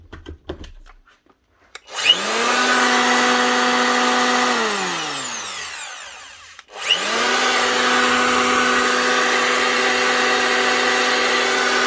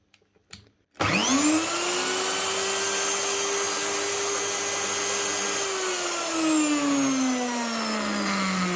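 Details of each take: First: Old Festool planer, at least 20 years old, after reassembly: clean whine winds up to a steady pitch and coasts down smoothly, twice, with no rubbing or rattle. The shifted fan caused the earlier rubbing; three worn bearings were also replaced. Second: Virutex door mortising machine, very old: motor spins up to a steady high whine with a rough, gravelly undertone, then coasts down; worn motor bearings, to be replaced.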